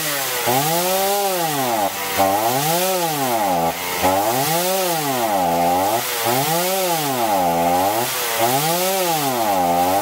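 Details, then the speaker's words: Chainsaw running unloaded, revs hunting up and down about twice a second, with no power and poor throttle response; the carburetor, found dirty, is to be disassembled and cleaned. "ก็ประมาณนี้ครับมันจะวูบวูบนะครับเดี๋ยวคงต้องรื้อคอบูดูนะครับ"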